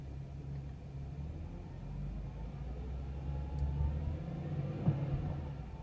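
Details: BMW X5 E70 with N55 engine at idle/low rpm: low rumble with a loose, uneven pulsing about four beats a second; owner unsure whether this strange sound is normal.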